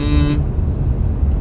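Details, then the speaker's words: 2022 Hyundai Creta Style horn: clean, steady honk about a third of a second over low engine rumble; normal, tolerable, not annoying or arrogant. "Nah, itu menurut gue masih bisa ditolerir sih, suaranya ya oke lah buat suara klakson, nggak mengganggu, nggak arogan atau gimana."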